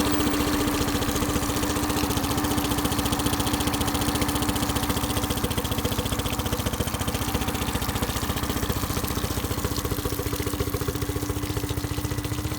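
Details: Honda BF15 15HP outboard on a 15 ft Smokercraft Alaskan aluminum boat during carburetor idle speed adjustment: steady, even putter around 220 beats a minute with faint constant tone, no misses or surging; normal idle.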